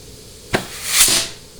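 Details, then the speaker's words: Ford C6 transmission case air check on the bench at about 100 PSI, low-reverse clutch: sharp click then a short rising rush of air that fades cleanly; the clutch applies and seals very well, healthy. "so that clutch is very very very very very healthy I mean it is sealing super well"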